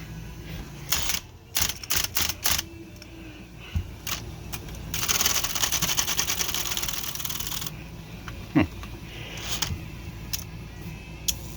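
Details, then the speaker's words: Smith Corona Electra 220 electric typewriter: motor hums with an intermittent buzzing rattle that comes and goes, caused by a paper clip caught in the motor windings. "so there it goes radio off that gets a lot louder than that but it's something to do with the motor and I'll show you what it is"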